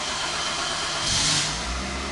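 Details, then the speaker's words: Toyota Fielder on ethanol, 184,000 km, after a major service with new oil and filter and cleaned sump, first morning cold start: brief hissy start then an even settling idle, no stumbling or rattle; started very well. "a primeira parte da manhã carro a álcool pegou muito bem a aceleração sem ficar mais alta porque o carro tem que esquentar né É normal dos toyotas"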